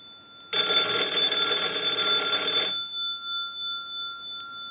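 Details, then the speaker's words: Wooden wall 317A telephone during repair checkout: an analyzer sends an incoming-call ring cycle, and a bright, steady bell rings about two seconds then stops cleanly; the ringer works properly. "now what we want to do is use the analyzer and send a ring cycle like you are getting a call so we'll start that we'll let that go a few times"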